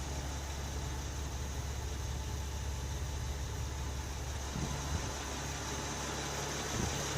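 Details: Normal smooth idle, quiet V6 low hum, no ticking, of a 2008 Honda Odyssey EX-L 3.5 L J35 right after an engine swap to a used 112K-mile motor with new timing belt, water pump, plugs and VCM disable kit; old engine had bent valves, dead cylinders.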